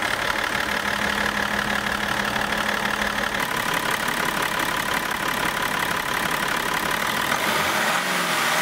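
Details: BMW X5 E53 running after the EGR valve, intercooler pipe, vacuum tube and EGR pipe clamp were reinstalled. The engine settles into an even, steady idle with a soft regular beat and no knocks or rattles: normal idle.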